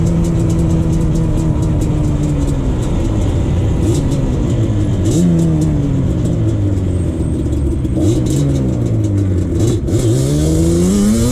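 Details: 2001 Yamaha Banshee 350 two-stroke on a POV test ride after new clamps fixed an exhaust leak, shifted early: crisp revs climbing and dropping through quick gear changes, clean with no puffing or leak chuff. Normal running, performing better.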